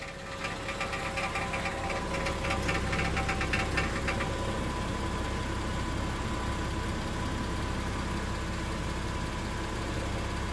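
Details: 2002 Subaru Outback L.L.Bean at idle, before repair. A tinny metallic buzz rides on the idle, loosely pulsing with engine speed, from a loose exhaust heat shield rattling.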